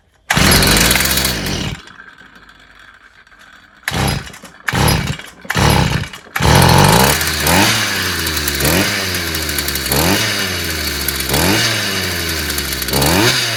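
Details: Stihl FS 55 brushcutter that wouldn't start despite new plug and carburetor, after clearing a clogged exhaust: pull-start bursts, then catches with revs rising and falling in regular blips; runs freely, no misfire.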